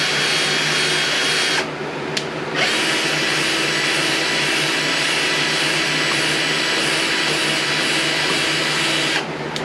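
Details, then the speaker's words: Old Craftsman lawn mower engine rebuild, valve lapped in a drill: steady whir with only light scraping; grinding has eased as valve and seat bed in, ready to check for even gray margin. "now you don't hear it grinding as much we're going to check it have to wipe off our compound here"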